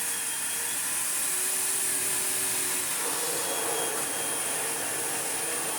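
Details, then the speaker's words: 2005 Sebo Felix Classic vacuum after restoration with new head and genuine spares and correct filter, on lowest/minimum power: steady, even motor whir with soft airy rush, no rattle, flutter or pitch wobble; excellent airflow, normal. "Yeah. Excellent airflow. Again, if we go down to minimum."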